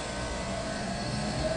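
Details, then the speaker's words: Replacement scroll compressor after wiring corrected from reverse rotation by swapping two leads: steady, even smooth hum with no knocking or rattle, now pumping; normal compressor running. "So, we switch those two. Now, we will try again. That sounds way better."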